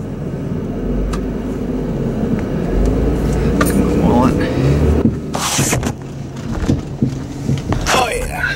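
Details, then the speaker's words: 2005 Chrysler Town & Country minivan on a test drive after airing up to 25 psi: road rumble with loose, uneven clunks from the front end over bumps. The sway bar is suspected, possibly the struts; unconfirmed. "front end clunks pretty bad handle's a little bit better yeah i hear that front end clunking i can't make it out if it's a sway bar"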